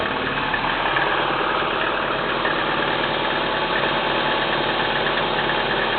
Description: Стук двигателя КИА Спектра 1.6 на холодную